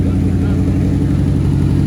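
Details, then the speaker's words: Even, strong V8 beat with steady firing, no knocks or misses; engine that sat 30 years now runs strong on a 4-barrel carburetor, healthy running. "No, it's running strong."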